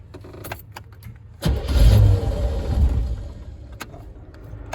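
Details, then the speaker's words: Chevy V8 swapped into Range Rover Classic, IMPCO 300A mixer and vaporizer, HEI ignition, coated headers, already warm, no choke; short crank, catches, deep heavy even idle like a lower Rover V8 — normal start; slight water pump pulley misalignment vibration suspected. "Sound wise, it's pretty close to the Rover. It just lower tones, runs heavier. It's like an obese Rover. Pretty quiet actually under the bonnet and under the hood."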